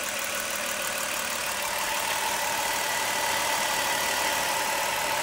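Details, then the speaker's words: 1990 Ford van after repair, coolant topped off with no leaks; rubber crankshaft pulley wobbles slightly, said not to hurt the serpentine belt: smooth, even, quiet idle with a steady hum and hiss, no squeal, rattle or knock. Healthy. "So, what a difference, nice and quiet."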